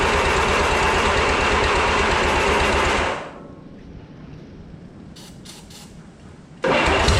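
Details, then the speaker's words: 1955 Oliver OC3 Cletrac crawler, sat 20+ years, IH Farmall M distributor, new coil: even cranking about four per second that never runs, pauses, resumes; owner suspects carburettor float/needle stuck, tapping carb with wrench to free it. "so I'm thinking the flute is probably stuck on the carb give it a couple wax with a wrench and see if it'll come free"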